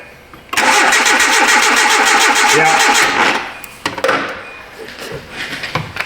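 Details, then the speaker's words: 2010 Hyundai Accent, no-start returned after starter and front O2 sensor replacement, owner-DIY crank sensor, no codes, no control to coil: steady starter whir about 3.5 beats a second, coughs and seems to lock up, never fires; cranks but no start. "Go ahead and crank it. Yeah. I don't I don't like how it coughs there. Okay."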